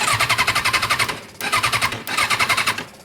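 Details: 2006 Kawasaki Ninja 636, sat three weeks with a dead battery that was then recharged, with fuel in the tank: two bursts of quick, even cranking at about four pulses a second and it never fires, even in first gear; cranks but won't start.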